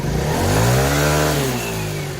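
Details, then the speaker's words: A TaoTao 50cc Chinese scooter with 3,693 miles, bought not working, spins up smoothly after repair with its covers on, pitch rising and falling with the throttle, no knocks or rattles; it runs healthy and the Bendix seems fine. "So get the kill switch, and it sounds great with this cover on, so I'm pretty sure the Bendix is fine."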